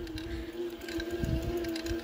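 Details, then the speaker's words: Eleglide M1 Plus electric mountain bike with cable brakes, still breaking in, struggling on a steep climb: steady mid-pitched whine over tyre rumble, rider believes from the dragging front brakes; motor power weak on hills. "Ouais, il a quand même du mal dans les côtes. Niveau de puissance, c'est pas trop ça."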